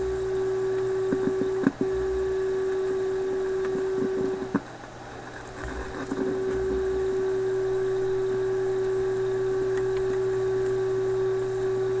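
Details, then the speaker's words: Philips 922 vacuum tube radio after about an hour running: steady low hum, thin tone and rough hiss with brief dropouts, heard on all bands so not the RF coils; suspected IF-stage capacitors; cause unknown. "wow we hear this noise on all the different bands so it can't be any of these RF coils"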